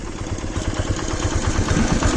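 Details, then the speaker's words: Suzuki GS150R single-cylinder at idle, 204,337 km. An even thump with a light tinny chatter over it from a worn timing chain, which the owner says is due for replacement. "വണ്ടി ഇപ്പോൾ പ്രശ്നം എന്താണെന്ന് വെച്ചാൽ നമുക്ക് timing chain മാറാറായിട്ടുണ്ട്. അതിൻ്റെ നോയ്സും കാര്യങ്ങളൊക്കെ വന്നു തുടങ്ങിയിട്ടുണ്ട്."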